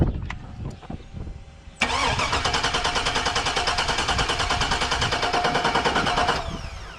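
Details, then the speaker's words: 2002 Cadillac Escalade barn find, sitting 5 years: starter spins engine in steady even chug about three beats a second, never catches; no fuel at rail and still no start with portable fuel cell, no spark, no DTCs. "okay still no start okay everybody well as you probably guessed since this isn't a clip of the truck running it still doesn't run"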